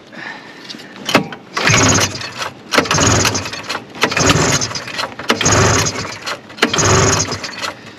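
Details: 1974 Arctic Cat Lynx snowmobile, fan-cooled 340 two-stroke, sat derelict 5 years, old gas, cold in snow, primed with brake cleaner: repeated pull-start bursts about once a second, each a brief rasp dying without catching; cranks, no start.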